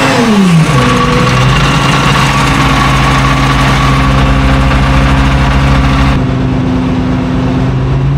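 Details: FV432 troop carrier multifuel engine, long-sitting, being revived and running on real diesel: picks up quickly to a steady, even drone with a constant low tone and no knocks or misses; normal running.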